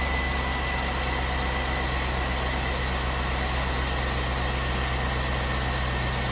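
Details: Chevrolet Tahoe V8 with a P0300 misfire code after swapping to a 2006 ignition system with lower-mileage coil packs: a steady, even low rumble at idle with no skips or stumbles; runs smooth.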